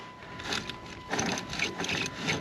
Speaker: Oh, listen to that wheel bearing. That's a doozy right there, holy cow.